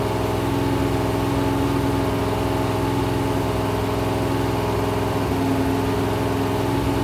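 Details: Rebuilt 426 Gen 2 Hemi crate V8 (new heads, intake, pistons) on run stand, flat-tappet cam break-in, 50 psi oil: constant-speed high idle, smooth even drone, no ticking or knocking; normal high idle.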